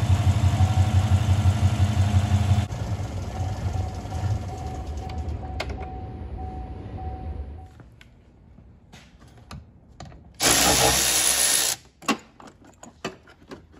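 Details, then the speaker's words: 2015 Chevy Silverado 5.3L V8, about 175,000 miles, fuel pump fuse removed before high-pressure fuel pump replacement: engine catches, runs briefly, then fades and stalls as fuel supply is cut. "i'm going to remove the fuse start the motor and then we're going to take the battery uh negative battery terminal cable off"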